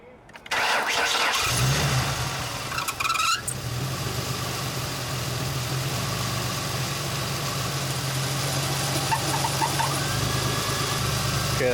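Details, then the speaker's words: 2005-2010 Ford Mustang started after thermostat housing replacement (earlier overheated): engine catches and settles to steady idle with faint high chirp coming and going; owner sure it's the belt, likely wet, needs a new one anyway. "squeaky sound i'm sure it was coming from the belt i need a new one either way but i'm sure i got wet that's why"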